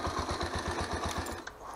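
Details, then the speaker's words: Honda CBX125 Custom, owned about 10 years, at idle: a sharp even knock about eight times a second for a second or so. Internal knock; the owner fears the piston and hopes it is the cam chain or tensioner, unconfirmed. "вот этот рокот конечно он меня настораживать потому что я боюсь что это проблемы будут с поршнем"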